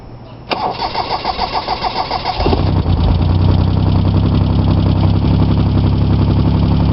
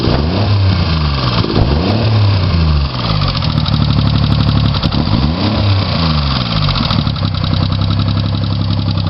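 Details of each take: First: Chevy Sprint turbo 1.0L 3-cylinder rebuilt (ported head, valve job, KKK turbo, straight pipe), total cold start low on fuel: cranks about 1.5 s, catches to fast cold idle with light ticking; valves set loose, to be tightened. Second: Chevy Sprint turbo 1.0 L three-cylinder after top-end rebuild, Saab 9-3 turbo, straight pipe with two cherry bombs, total cold start, low on fuel: few quick revs settle into steady, low, even idle, no knocks or misses.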